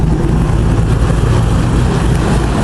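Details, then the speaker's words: Corvette LS3 (480 hp) with a cam in a JK Wrangler, a few hundred miles on it: deep, steady idle at about 750 rpm, kept above the stock 550 rpm because of the cam; slight choppy lope, exhaust running clean; normal. "with this cam we want to keep the idle up a little the stock SUVs run about 550 RPM thank you exhaust is running clean"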